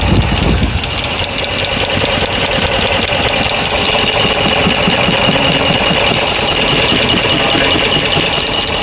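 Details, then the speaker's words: 2009 Ram 5.7 V8 at idle after a rebuild: a steady light tick at a bit over two per second follows engine speed and is loudest at the number 1 front rocker, with the exhaust quiet. Top-end tick, cause suspected, not confirmed. "Sounds loudest on the front rocker arm. I'm going to try and hold down the rocker arms."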